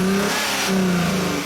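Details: 2004 Hyundai Sonata 2.7 L with code P0335, check engine light and power loss: as the engine revs up, the pitch sags briefly mid-rise before climbing again; a stumble under throttle matching glitches in the crank sensor signal.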